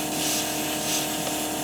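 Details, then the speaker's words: 1976 GMC Motorhome rear air ride, air lines at dash manifold: steady airy hiss of compressed air escaping; replacing hose didn't stop it, leak is at the old fitting, to be replaced with new fittings. "i can feel the air too hear that leaking [Applause] so i know that one's definitely leaking"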